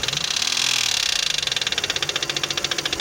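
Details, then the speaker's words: Toyota 1MZ-FE V6 at idle, knock appeared at first start after spark plugs, injector seals and throttle body cleaning; rapid even ticking from the top of the engine, heard left toward the middle; cylinders checked by camera, no damage found, cause unknown. "Звук, кажется, идет где-то слева. По-моему, больше слышно. Ближе к середине. Но стал тише, чем был."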